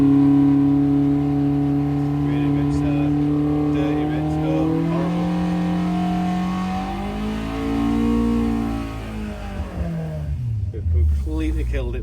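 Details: Fresh 1200cc five-bearing Hillman Imp engine with Coventry Climax FWH head on a loaded dyno: revs up then sags and falls away, rough and flat; over-fuelled, running rich.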